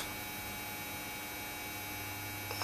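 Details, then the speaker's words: Trace Xantrex SW4048 48V pure sine wave inverter switched on and converting DC to AC, giving about 122 V output: a steady low electrical hum with a faint fixed high whine, even and unchanging, which is normal operation. "no depress that again it would turn on and will convert DC to AC you hear the humming noise now it's all okay"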